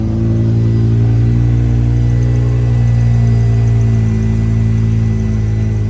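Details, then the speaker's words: BMW M5 E60 idling just after the engine was reinstalled and first started: a smooth, steady low hum with no knocks, ticks or rattles, running better than ever. "the car is running actually better than ever you have no strange noises no strange sounds it's just running smoothly at idle right now"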